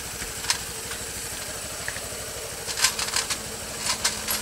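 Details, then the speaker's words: Honda Beat FI scooter after repair of a rough starter with a CVT 'klinting' rattle like a loose plate (retightening didn't help; part glued): even, quick idle putter with only a few light taps near the end, the CVT rattle gone. "wes suaranya halus enggak ada bunyi gemericik nya"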